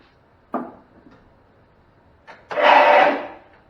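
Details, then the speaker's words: 35-year-old Cub Cadet Model 1210 garden tractor, sitting an estimated 5–10 years, on jump pack: brief click then fast free whirr under a second with no cranking beat. Starter runs noisily but does not engage flywheel; owner suspects solenoid/drive not engaging. "All right, so what I'm getting is the starter making a lot of noise, but it's not engaging the flywheel, the crankshaft, so it's not turning the engine."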